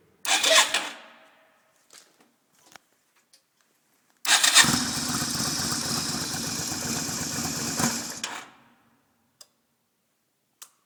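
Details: 1990 Yamaha Virago XV250/Route 66 motorcycle, cold at about -7°C in an underground garage, after a longer roll with the engine off: three cranking bursts, each carrying a thin high whistle over rough starter chatter, no full start attempted.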